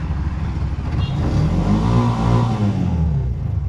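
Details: Bajaj BS6 auto-rickshaw (CNG/petrol) that was submerged in water, code P0563, after charger replaced: engine climbs smoothly on throttle and settles back without stumbling or popping, pulling evenly; normal revving.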